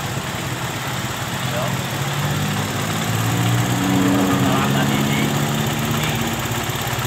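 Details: Suzuki Satria FU that was hard to start and died, after fix (dirty water drain under exhaust blamed, parts taped against water): single-cylinder fires up, holds steady idle, revs cleanly and settles back, running smoothly.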